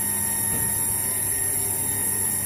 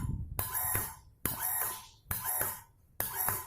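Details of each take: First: Peripheral-type water booster pump pushing water from a rooftop tank, running: steady piercing high whine over a low hum, a whine typical of peripheral pumps; owner dislikes it and recommends a closed-impeller semi-jet pump as quieter. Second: Water booster pump fed from a tank, cycling on and off in short bursts while its automatic pressure switch is adjusted: a sharp squealing tone over the motor hum each cycle, because this pump is already damaged.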